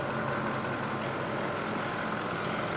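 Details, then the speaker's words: Ford F250 6.7L diesel that had DEF fluid put in the fuel tank and was run, idling after repair: steady, even low diesel clatter with no knocks or misses; the engine sounds healthy (warning light on, codes to be cleared). "Yep. Sound great. Yeah, sounds good."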